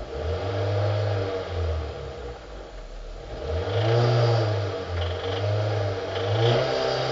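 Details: 2005 Hyundai Sonata 2.4 L 119 kW petrol engine revved in repeated bursts, deep knocking clatter on each rev from worn crankshaft bearings, fixed by replacing the bearings.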